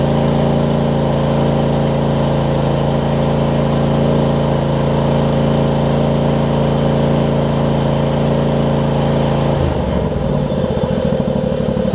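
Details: John Deere LX279 riding mower with a liquid-cooled engine and unknown hours, just after its first cold crank: a steady drone with an uneven, lumpy beat that seems to improve. Rough running after a cold start, possibly characteristic of the engine.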